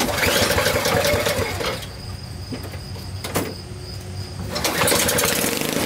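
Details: Honda HS520 snowblower, nearly new, formerly non-starting from gummed-up carburetor, after in-place carb cleaning with GumBuster, started on choke; small single-cylinder engine runs steadily with even buzzing note, dips briefly then picks back up; normal running after fix.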